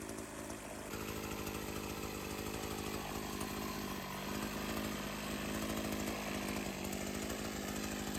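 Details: Sachs-Dolmar 100 two-stroke chainsaw, carb rebuilt and tuned after it would not idle down (owner suspected an air leak), holds a steady, even buzz without surging or stalling; runs cleanly and properly tuned.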